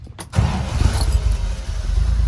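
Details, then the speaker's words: Unrestored 28k-mile 1969 Toyota FJ40 Land Cruiser, stone cold, no choke, in neutral with a tap of gas, after carburetor rebuild, valve adjustment and exhaust manifold leak fix: brief crank, catches at once, steady even low rumble; healthy cold start. "away she goes. Stone cold. No choke. It's cold. This hums along."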